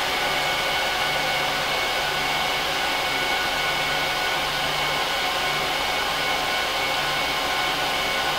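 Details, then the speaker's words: HP ProLiant DL380p Gen8 server, 24 DIMMs, eight 300 GB 10k drives, both PSUs, during POST and boot: loud, steady high rushing whoosh with faint constant whine, no rattles; normal fan noise, quieter once idle. "so as you can hear once it gets booted and it's idle the fan noise really isn't bad at all"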